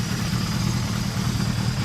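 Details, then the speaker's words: 1977 Suzuki GS550 motorcycle, 24,000 miles, first start after two years stored, after the 2–3 minute warm-up it always needs. Steady, even, low burble with no knocks, ticks or hunting; now running better. Normal warm idle. "um same deal you need the same two three minute warm up every time on this bike so now better running sounds good"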